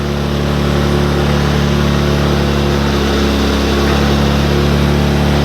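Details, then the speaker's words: Baja 90cc Wilderness bike after a motor swap, loud, revved then idling. A heavy, coarse, steady low thump of about four beats per second: the engine vibrates hard. Cause unknown; owner plans rubber bushings in the motor mount. "is I'm gonna have to put some rubber bushings in between the motor mount, because this thing vibrates. It really vibrates."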